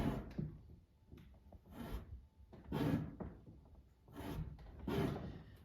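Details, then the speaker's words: 2017 Shelby GT350 Mustang passenger door, before body shop repair: repeated dull scraping rub each time the door opens, rubbing somewhere inside since purchase; owner thinks the fender needs realigning to stop it. "but it's been rubbing you know so ever since we got it so i can show you right here when i open the door you'll hear it"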